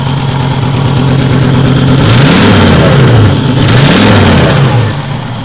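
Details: Volvo 850 after owner replaced the cylinder head following a timing belt break: uneven, stumbling beat with sharp puffing as revs climb and fall, down on power; misfire and exhaust leak, exhaust cam timing off a tooth suspected, not confirmed.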